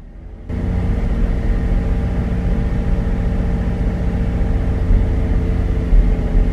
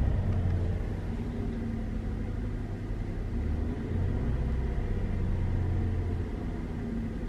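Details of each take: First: Chevrolet Traverse held at a steady 1500 rpm: uneven, irregular pops and stumbles heard at the tailpipe, engine hesitating; scanner counted 14 misfires, cylinder 4 suspected. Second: Wife's Chevrolet Traverse after replacing bad spark plugs and idle relearn, held about 1500 rpm: smooth low hum, steady, no stumbles; still balancing slightly, scanner shows no misfires; normal running.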